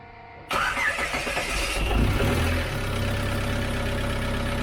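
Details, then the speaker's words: TDI diesel swapped into a Jeep, first start with the new AirDog lift pump wired to run with the key: brief crank, clean catch, steady even idle with no misses or knocks. Normal start and idle. "It runs. I don't know what more you can ask for."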